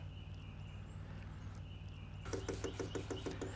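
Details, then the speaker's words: Vevor diesel heater, fuel tank filled, manual pump priming started by long-pressing left button 7 seconds before first start, during 300-second countdown: quick, even train of light ticks from the fuel pump priming normally. "can hear the ticking in there now. That's the fuel pump, manually pumping fuel into it to get everything started."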